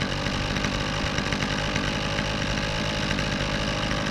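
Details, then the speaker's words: Lower-end trimmer with a Kioritz (Echo) engine, hardened fuel lines and no working primer bubble, started easily; it warms up at a steady, even high idle with no misses or surging and runs and performs well. "Let it warm up a little bit here. So, not too bad. Wow. I have to say for a lower um end trimmer, this thing actually runs and um performs very well."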